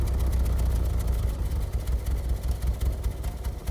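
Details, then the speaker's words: 1989 VW Fox with fuel injection and an all-new fuel system: low, uneven, lumpy idle that wavers, briefly sounds better, then peters out; fuel filter or fuel clog issue suspected, not confirmed. "Running awful. That's good. That sounds better. And then it peters out. It's like it's got a fuel filter or fuel clog issue."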